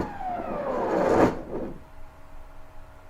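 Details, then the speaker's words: CNC stepper motor on a Mach3 USB controller (Red Board/RnR Motion) during a jog test: the whine drops in pitch as the jog slows, then a sharp thump as the motor jerks at stop, the acceleration issue being investigated. "so I'm going to go ahead and run it and get my mouse away from the motor CU I know it's going to jump"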